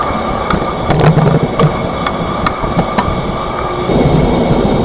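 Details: 2025 Chevrolet Silverado 1500 Trail Boss while driving, recorded in the cabin. Sharp, irregular knocks and thumps punch through road hum, also felt in the floorboards and driver's seat. The clunk comes from the rear leaf springs, with service bulletins 19-NA-129 and 21-NA-138 noted.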